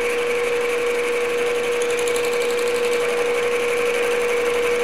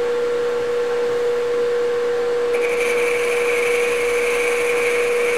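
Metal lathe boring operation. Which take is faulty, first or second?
first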